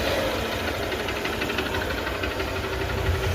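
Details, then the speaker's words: Honda Shine motorcycle after repair of an engine bore that failed by 16,000 km, which had caused heavy smoke and an odd engine sound: even, steady single-cylinder idle with no knocks or rattles; the mechanic says letting it cool for a few hours smooths it further. Normal idle. "ఆ బండి ఎప్పుడైనా పర్వాలేదు బండి ఎంత cooling పెడితే అంత smooth అయిద్ది"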